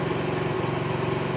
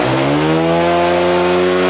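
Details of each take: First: Honda CD70 motorcycle just after fitting the carburetor, kick-started: small single buzzes at a brisk, steady idle without hunting; idle set too high after carb fitting, to be lowered with the carburetor adjustment. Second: Honda CD70 after installing a new carburetor and setting it: single revs cleanly up and settles back, pitch rising and falling smoothly with no stumble or misfire; healthy revving, carburetion set right.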